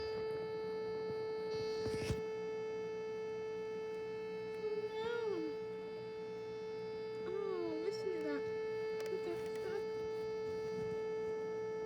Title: Low battery Vtech toy carousel toy buzzing noises